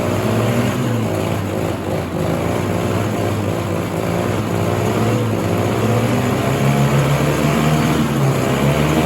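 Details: 1967 Ski-Doo Alpine twin-track snowmobile, sat many years, running on its own fuel line before carb cleaning: heavy, blubbery two-stroke with uneven burbling beat that never cleans up; rich running, flooding, owner suspects debris in the carb needle and seat.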